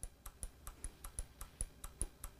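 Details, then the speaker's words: EVAP solenoid on the bench, wired to power and ground and pulsed by a Launch sensor/actuator simulator at adjustable frequency: crisp clicks about four per second on a quiet background, switching on and off normally. "Here is the solenoid right here. We'll hook it up to power and ground. Excuse me. You hear the clicking?"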